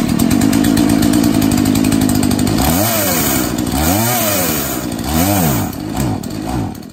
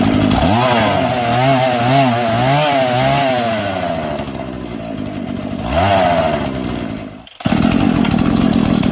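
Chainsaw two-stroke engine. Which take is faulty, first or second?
first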